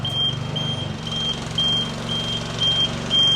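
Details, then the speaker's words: Nifty TM34T 34' towable man lift raising the main boom; short steady high beeps about twice a second over low motor hum, normal operation beep. "If you happen to hear that noise at any time that you're in the air, be sure to come back to your original position and come down if you can, to allow yourself for it to be able to operate, because you do not want to get stuck in the air. That beep in there is going to be a normal operation"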